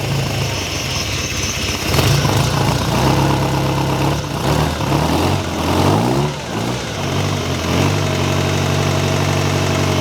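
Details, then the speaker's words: Ferrari 308 GTS with a fully rebuilt V8, first start in about four years, oil pressure up and no leaks: steady, even V8 burble with light blips, no misses or knocks; timing may need a little adjustment; normal idle. "well that's not bad running and idly like that after four years sounds like we could do a bit more timing just adjust the timing a little bit"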